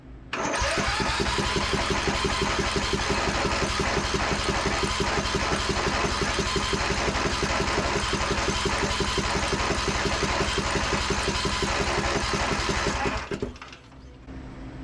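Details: Craftsman DLT3000 riding mower with Briggs and Stratton engine, after draining brown fuel and flushing lines: about thirteen seconds of steady cranking at roughly three turns a second, never catching; some water still suspected in fuel pump and lines.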